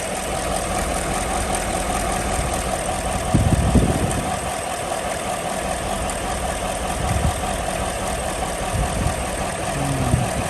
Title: Cylinder 8 Misfire GMC Sierra 2015